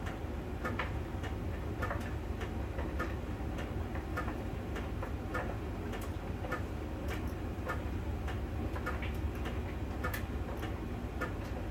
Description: On the outside surface of the drum, there is a connection when the sensor touches that spot it makes that ticking.